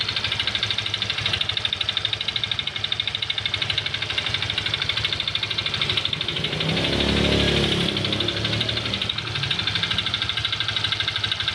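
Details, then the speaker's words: Honda Vario Techno 125 FI scooter idling roughly, with a dull, uneven knock about three times a second under a bright mechanical clatter; worn connecting rod with excess side play, so the rod was replaced and the piston oversized from 50 to 100. "nah ini berarti stang sehar mengalami keehausan ya jadi bunyinya di mesin kasar kita ganti setang sehernya"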